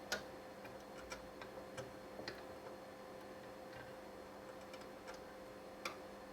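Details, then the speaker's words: Racal-Dana 1999 frequency counter with an intermittent freeze/restart fault: sharp relay clicks at irregular intervals, about one a second, over a faint hum as 0.1-inch pin-header connectors are wiggled; the unit resets, suspected loose header connection. "so if I just move this a little bit yeah that's me just moving it without um putting too much pressure on it just just moving it around so that looks like it could be the problem"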